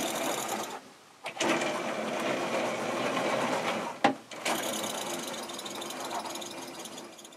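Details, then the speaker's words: Traxxas TRX-4 stock Titan brushed motor, drivetrain bearings already replaced: high buzzing whir in uneven bursts with raspy, scratchy edge and squeak; rough and low on power even after flushing under water, worn motor. "can really hear it's not happy at all I've tried running it under water until the fresh water stays clear but it still sounds rough with less power than you already expect"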